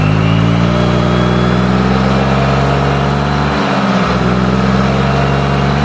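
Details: Yamaha Mio GT scooter after ISC/throttle sensor reset: strong, smooth even revs with clean throttle blip; running normally again.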